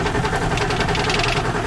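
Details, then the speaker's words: 1995 Ford F-series 7.3L Powerstroke diesel that sat two months: starter churns, engine turns over evenly but never fires; crank no start, traced to failed injector driver module. "so as you guys could hear the truck cranks but it doesn't stud"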